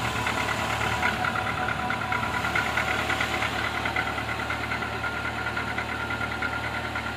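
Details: Renault Logan 1.6 K7M engine started after long standstill: rough idle with a loose, uneven knocking, about two per second; knock at idle, source not yet clear.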